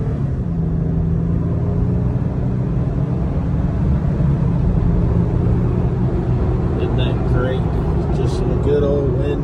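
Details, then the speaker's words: 2020 Jeep Gladiator road test after top-end repair for a tick, accelerating from a stopped intersection; steady deep pull with wind rush, no ticking or rattling. Normal acceleration, valvetrain normal. "No ticks, no rattles. My cam shafts thankful."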